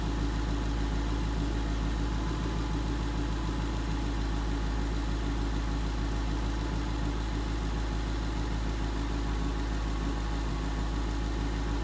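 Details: 2011 Mustang GT 5.0 Coyote V8 with Roush exhaust at idle after a rod bearing and rod bolt replacement: deep, steady idle, even smooth beat, no tick or knock over the rumble; the earlier bearing knock is gone.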